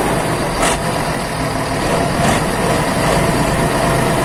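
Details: Isuzu 12PB1 diesel on first start after a major overhaul: steady, even clatter that holds speed with no misses or knocks. Some smoke from burnt-off old oil is expected to clear; normal running.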